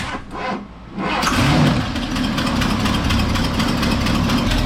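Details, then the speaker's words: 1978 Ford F100 V8, just started after work with cheap parts: rough idle with sharp rapid puffing tick from a bad exhaust leak; unclear whether poor running is from the leak or a broken part, timing unchecked. "That exhaust leak pretty bad over here. Oh yeah, I can feel it."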